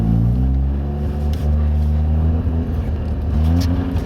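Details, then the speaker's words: Mazda RX-7 FC3S Turbo II rotary after the emissions delete, cat removal and a new welded stainless exhaust, heard in-car on a cool day. Deep, smooth, very quiet drone with a nice tone climbs evenly; faint turbo spool on acceleration; healthy, no misfire. "The exhaust is extremely quiet, but it has a nice tone. I can actually hear the turbocharger spool when I accelerate."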